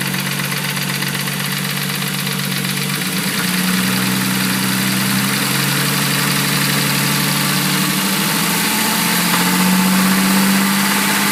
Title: Engine knock rb30det a31 cefiro